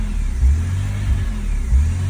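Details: 2001 BMW E46 330Ci, warm, MAF unplugged: revs rise and fall unprompted about every 1.5 s. Also won't pass 3000 rpm, has little power, and the cats run red hot; owner suspects fuel or oil getting in. Surging idle.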